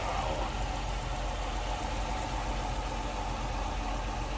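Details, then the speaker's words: 2006 Chrysler 300 Limited AWD, 3.5 liter V6, under 30,000 miles, heard in the open engine bay: smooth steady low hum with even beat, no ticks or knocks, normal clean idle. "This sounds smooth, that runs. Look how nice and tight it"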